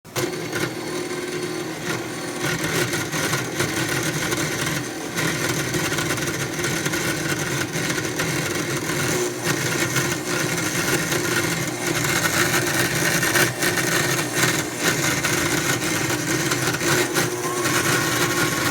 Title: KitchenAid artisan stand mixer grinding noise